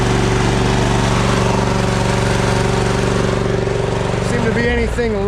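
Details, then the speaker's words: John Deere Z525 mower engine after air, fuel and oil filter, spark plug and oil change following 100+ hours in dusty conditions, running at a steady, even speed with a clean unbroken beat; healthy normal running. "this machine tends to be a pretty good running machine"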